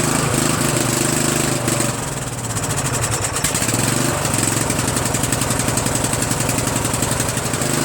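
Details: Murray 14.5 42" Widebody LT lawn tractor single-cylinder engine after muffler refit, heat shield, carburetor adjustment and choke linkage cleaning: catches and settles into steady, even chug with fast exhaust beat; normal running.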